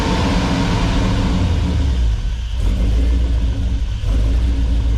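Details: 1957 Metro van with a modern driveline, started on the hoist after the build to check for leaks: it catches and settles into a steady, even low rumble with no knocks or misses; it runs smooth and healthy.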